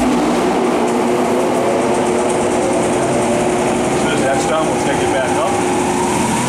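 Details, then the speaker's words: Sunnen ML-4000-D power-stroked horizontal honing machine, spindle taken up to about 800–1,000 rpm in manual: steady light hum with fine high whir, no knocks or grinding; runs clean and works nicely. "Take it up to 8 or 9. 1,000. This works nice."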